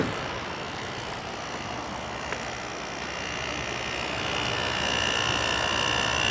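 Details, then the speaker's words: 2000 Quasar Cool Look HQ2061FH 6000 BTU window air conditioner, thermostat warmed with a hair dryer, on low cool: smooth steady compressor hum under gentle fan rush, no rattles or knocks; compressor sounds nice, running cleanly. "Compressor sounds nice."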